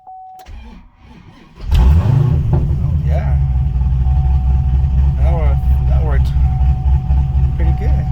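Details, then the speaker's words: 2010 Camaro LS3 (cammed, 416 stroker) hot restart after adding an engine-to-chassis ground cable; it was previously very hard to start hot despite a new high-torque starter, battery and crank sensor. Brief crank, then it fires right up into a steady, even idle. "good. Fired right up. Wow."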